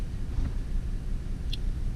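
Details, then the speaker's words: 2004 Cadillac CTS 3.6L V6 at idle: deep, uneven, shaking idle with a stumbling pulse from a cylinder 3 misfire. Codes P0203, P0300 and P0303 point to a faulty injector 3 driver in the ECM. "so we're gonna start the car and right away i can feel the engine shaking and uh we're gonna look into our data pits and let's see"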